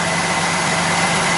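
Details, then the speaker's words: Mercury Sable after fuel pump replacement, fuel pump drawing about 3.9 amps at normal idle with 36–38 psi fuel pressure (previously 12.8 amps, locked-rotor pump, no start); steady, even idle, no misses or knocks; fixed. "drawing about 3.9 amps on our normal idling condition 36 PSI 38 right around there and I believe we got ourselves a fixed"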